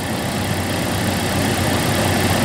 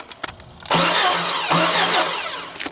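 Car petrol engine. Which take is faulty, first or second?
second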